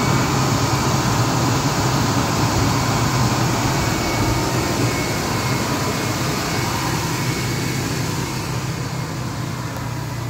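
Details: Abandoned Ford F-150 V6 cold start on a weak battery, run for a while after starting first try. Steady low rumble with an even regular beat, no knocks or misses, settling into a smooth idle; starts and runs good, normal idle.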